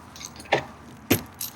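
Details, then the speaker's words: B8 Audi A4 door after replacing the failed door lock actuator: two quick sharp clacks about half a second apart, then a softer one. The new actuator locks and unlocks normally. "Yeah, I can hear it lock and unlock."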